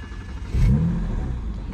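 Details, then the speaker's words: BMW 335i N54 that had code 30BA (injectors 1–3 or DME fault), after replacing the failed number 2 injector: a short clean rev blip that climbs smoothly and settles back with no stumble or misfire; runs like a dream. "runs like a dream"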